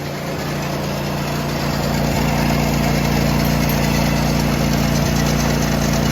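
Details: John Deere tractor with snowblower fitted, after fixing a worn, bent metal piece that made the drive belt pop off every few seconds; steady, even engine drone builds and holds with no slipping, squealing or thumping; belt drive smooth.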